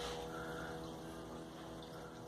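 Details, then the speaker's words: Electric fuel pump, switched on via its relay, feeding a Holley 7508-1 2bbl economizer carburetor on a Ford, checked for leaks: quiet steady low hum, even unchanging pitch; normal fuel pump running, no leaks. "Ok, ese zumbido que se escucha al fondo es de la bomba."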